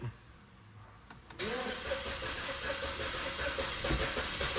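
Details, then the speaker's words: Chevrolet Trax, 32,000 mileage, long-stored non-starter, first start after cylinder head work; short crank then catches and settles to steady idle, still a bit noisy as oil climbs up, stale-fuel exhaust smell, no warning lights. "Woo! Umandar na. Medyo manaking pa kasi umaakyat pa yung langis mga boss."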